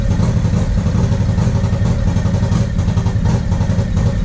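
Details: 1994 Harley-Davidson Road King FLHR, original 80" EVO, Carl's Speed Shop heads, CV40 carb, Screamin Eagle air cleaner and 2:1 exhaust: ragged V-twin chugging at low revs with skipped firing pulses, a stumble/hesitation/misfire on light throttle caused by a carburetor fault.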